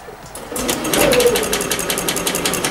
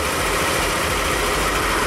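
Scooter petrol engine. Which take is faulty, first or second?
first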